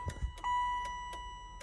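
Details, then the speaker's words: 1995 Chevrolet Impala SS with LED lights: turn signals on the swapped flasher, connected to the stock harness. Sharp clicks two to three times a second over a steady high beep; a nice, even flash pattern. "and it's actually got a pretty nice pattern to it. And you can see it's up there blinking."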